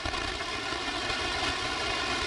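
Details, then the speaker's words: AM radio reception near a power pole below high-voltage lines: harsh, raspy, real bursty buzz across the range that sometimes fades and returns. Power-line RFI is suspected to come from the pole, with the source still unconfirmed. "I'll just let you listen to it in AM real quick. It's real bursty."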